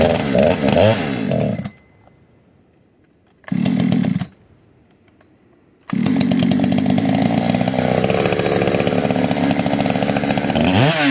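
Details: Modded 60cc Echo 620 chainsaw, widened-venturi 620 carb, high jet only a turn and a quarter out, idle turned up: short revs then long full-throttle run with uneven burbling beat instead of a clean scream; four-stroking, rich high-speed mixture.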